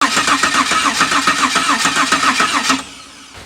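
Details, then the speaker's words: 1997 Holden VS Ute, 3.8L EcoTech V6: starter churns evenly at about 3.5 beats a second with no catch or firing, then stops; cranks but won't start. "it hasn't fired once folks"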